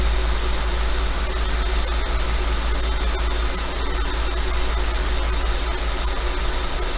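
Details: 5.2 FSI engine just above idle: steady hum with a light, uneven ticking rattle; owner asks if normal, suspects piston slap, unconfirmed.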